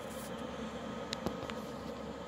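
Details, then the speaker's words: Externally mounted under-chassis Eberspächer/Webasto-type parking heater, about 2500 W, fully warm, hot air, startup white smoke gone; phone about 1 m away. Steady fan rush with faint combustion roar and a couple of light clicks; normal operation at full heat. "Donc là c'est le bruit quand je suis à 1 mètre en gros."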